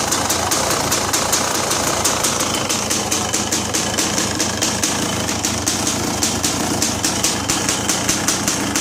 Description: Checking running after pas bolt fell out and I resealed everything